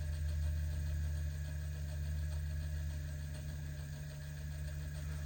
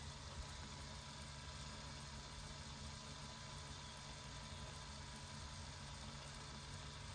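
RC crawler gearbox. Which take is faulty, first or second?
first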